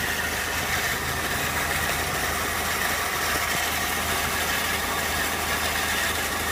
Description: My 2001 Peugeot 206 maken a weird noise. My guess is the clutch.